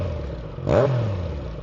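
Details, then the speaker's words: Triumph Daytona triple with a newly fitted TEC full stainless exhaust replacing the problem muffler, just after a fuel pump replacement: crisp quick blip, pitch sweeping up and settling back, clean and even, a healthy exhaust note. "See, that's why I bought this bike because triples sound absolutely amazing."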